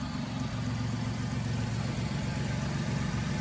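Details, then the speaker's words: Flood-damaged Buick Riviera with the 3800 V6, freshly started with a little smoke when revved: a steady idle with a light quick ticking. The cause is a small exhaust leak at the back of the engine. "maybe it's got a little manifold leak yeah it's got a little bit of an exhaust leak at the back here"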